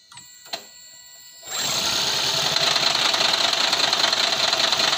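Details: Toyota Prius C/Aqua hybrid that had a P0171 lean code, check engine light and rough idle after a fender bender, started after the intake was replaced: the engine fires and settles into a smooth, steady idle without stumbling or hunting; it runs normally.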